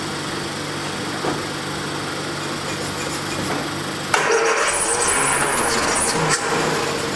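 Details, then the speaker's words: 1979 Triumph Spitfire, sat about 20 years, after tapping on a carburetor, turns over, catches about four seconds in and settles to a steady, lightly uneven, quiet idle; running normally. "I think we can just let it idle. But it's running though. The little engine it could."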